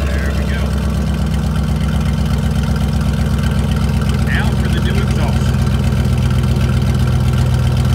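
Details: 2002 GMC Sierra pickup starting after rusted gas tank supports/crossmembers were replaced and repaired: engine catches and settles into a steady, even low idle with no misses or knocks, running healthy.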